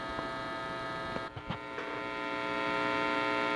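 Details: Heathkit T-4 signal tracer after repair of a noise problem, cap replaced and tube and shield reinstalled; soft steady mains hum with a couple of handling clicks and no crackle, running quietly as it should.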